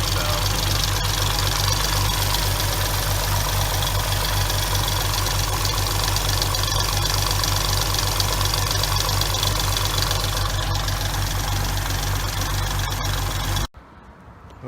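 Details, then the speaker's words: 2006 Hyundai Tiburon 2.7, 6-speed manual, at idle before repair: quick, fairly even light ticking from clogged, oil-starved hydraulic lash adjusters; fix was replacing the lash adjusters, along with the timing belt and water pump. "2006 under on infamous lash adjusters ticking noise we're going to start removing the valve covers in teh model body and try to repair these flash adjusters we have a problem of getting clogged up not getting oiled correctly making a loud ticking noise"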